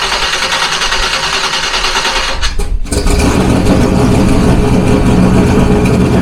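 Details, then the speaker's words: Fox body Mustang turbo 351 on a Holley Terminator X, first start after installing a Holley Dual Sync distributor (MSD box) with static timing set. Whirring crank for a couple of seconds, a brief catch, then a fuller steady run; starts fine. "so now we're going to crank it over until the car starts"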